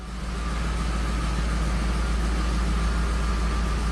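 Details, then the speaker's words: 1979 Hurst Olds V8, fast idle kicked down, carburetor adjusted, shifted into gear: deep, steady rumble holding even without dipping or stumbling; normal idle in gear. "I put it in gear sounds nice doesn't"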